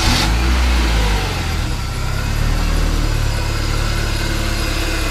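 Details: 1995 BMW E36 318i after replacing the auxiliary drivebelt deflection pulley beside the alternator, which had squealed at idle: steady, even low idle with smooth beat and no chirp or squeal; normal idle.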